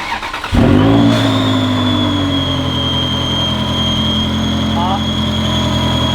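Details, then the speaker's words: Ferrari 360 Spider at idle: a steady high-pitched whistle over the idle from an intake vacuum leak at the front of the engine. An injector O-ring or intake manifold base gasket is suspected; the intake gaskets were ultimately replaced. "I think that's an injector o-ring oh so it's pulling in some vacuum from the injector you think it's either that or it's your gasket for the bot you know the base gasket for the intake manifold"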